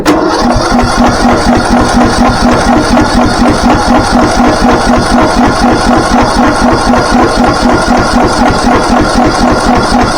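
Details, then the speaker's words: Craftsman T1600 lawn tractor single-cylinder engine, owner thinks engine is trashed: steady idle with a regular hard tap about four a second on every firing stroke; deep internal engine knock. "This is not one of them. I mean, I can still hear it knocking."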